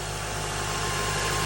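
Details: Honda Element after K24A engine swap replacing an engine ruined by Blue Devil head gasket sealer, new spark plugs, rear main seal, resealed oil pan: smooth, even idle with steady low hum, no ticks, knocks or misses; healthy.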